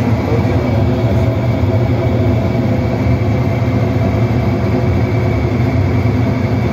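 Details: Olimpia washing machine that would not start, after fitting a new run capacitor: steady, even low motor hum with no knocking, grinding or stalling; motor spins up and runs smoothly.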